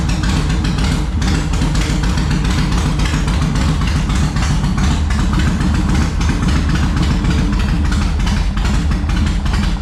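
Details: 2004 Yamaha Road Star Midnight Edition V-twin, cold, on full choke after fuel pump and fuel system work: deep, uneven chuffing that never settles to a clean idle; junk buildup found in the carburetor, cleared by covering intake while throttling.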